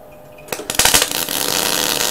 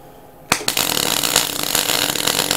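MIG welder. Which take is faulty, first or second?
first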